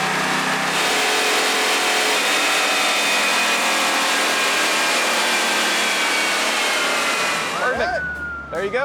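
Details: Chevrolet on chassis dyno, described as possibly 20 years old with the guts still in it: strong even roar held at high revs under load, easing down as throttle comes off; clean and healthy, made 184 horsepower.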